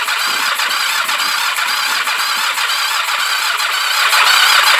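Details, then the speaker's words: Kawasaki GPZ500S rebuilt engine just fitted after a stator change, weak battery, good fuel supply: quick, regular starter churn, never fires; no spark, and the owner suspects his stator work. "I have a horrible feeling I should check really I'm going to end up with no spark and it's going to be something to do with without [ __ ] around with that stator that I did"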